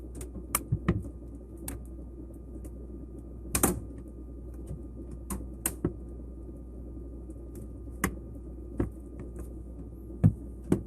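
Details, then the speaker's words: LG refrigerator during defrost, which runs every 4–16 hours as the zero-degree cabinet is heated to clear frost off the coils: irregular sharp pops and ticks over a low hum. Normal cabinet expansion and contraction creaking. "this noise is one that you'll probably only hear every 4 to 12 maybe even 16 hours and it happens when the unit defrost because you've got a cabinet that's it zero degrees then you're gonna heat it up to get the frost off the coils"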